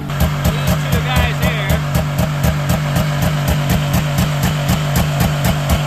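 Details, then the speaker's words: 1998 Yamaha V-Max 700 two-stroke triple snowmobile at pre-season start: fast idle pulsing about four times a second, bouncing because a faulty throttle override switch cuts it in and out; idle also set too high. "so you hear that bouncing away that's the throttle override is cutting it in and out so to fix that what we're going to do"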